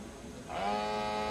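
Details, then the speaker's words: KANE 425 flue gas analyser switched on with probe in fresh air, start of fresh air purge countdown; quiet, then the small sampling pump hums up in half a second and settles into a steady even tone, a normal pump start. "You can hear the pump start. It starts its countdown, briefly flashes up the battery status, the fuel and also the pressure units, and it continues its countdown."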